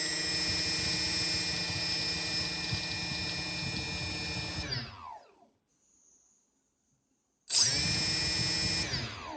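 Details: DJI 2212/920kv brushless motors on an F450 quadcopter: high whine with a rough knocking undertone as motors spin down, pause and spin up.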